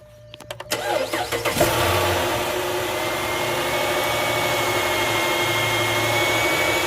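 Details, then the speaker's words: 2008 Dodge Charger 3.5L V6 at startup and idle: thin high whine above the engine that rises with revs and falls as rpm drops; failing alternator, with dash lights flickering from poor charging. "you go you can hear the alternator winding a little bit now rev it up there you go you can hear their wine a little bored"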